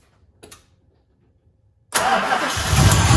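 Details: 1965 Plymouth Satellite V8 just fitted with an Edelbrock AVS2 800 cfm four-barrel replacing a 1407 750 cfm, cold with no choke, mixture screws at 1.5 turns. Loud uneven hissy rough idle; massive vacuum leak from an unplugged hole in the back of the carb.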